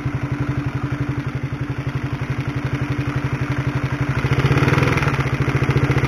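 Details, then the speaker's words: Honda CB150R at idle, microphone close to the engine: a fast, steady clattering rattle over the engine beat, like a sewing machine, from a worn, noisy cam chain (tensioner chain), before replacement with a DID chain. "itulah suara dari rantai ketengnya atau rantai tensionernya Bagaimana kaya suara helikopter kan kayu mesin jahit tapi kalau digas kayak supertrees-nya H2 ya haha"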